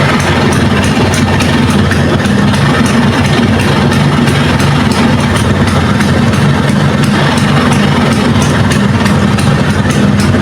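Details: Vespa (Sprint or Super, uncertain) two-stroke idling after start, clutch then pulled, before full-wave electrical conversion (battery drains with lights on): steady, even putter, no misses, knocks or hunting; normal idle.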